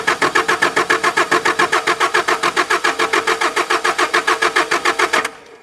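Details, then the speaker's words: Mazda B2600i pickup sat 7–8 years, first start attempt with a fresh battery: even cranking at about three and a half beats a second with compression on all four cylinders, never fires; owner fears a failed fuel pump. "One good thing is it turns over. The second thing is it turns over and it sounds like it's got compression in all 4 cylinders. The bad thing is obviously it's not running."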